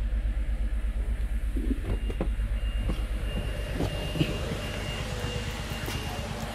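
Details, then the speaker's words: 2022 Toyota Avalon with rough idle, random misfire and pending codes, restarted after intake reinstalled, around 1000 rpm: low lumpy idle with uneven thump and strong vibration; misfire moved to cylinder one. "So spire agad vibration agad vibration Pero dito wala pa wala pang sa deta niya grapic niya Wala pa pero may misfire malakas"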